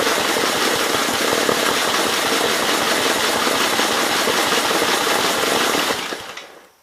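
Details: 1951 Gravely Model L, Wico magneto, air intake head off, possibly flooded; fast ragged firing about three to four beats a second runs six seconds then fades out; engine dies after brief run, likely fuel starvation.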